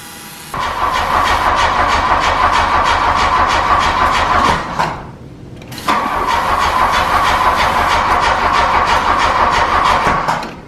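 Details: 1985 VW Scirocco Mk2 with CIS fuel injection, first start attempt after about 17 years idle, on a new battery: the starter spins steadily through two long attempts but the engine never fires. No fuel pump heard; a bad hose leaking gas was found. Crank, no start.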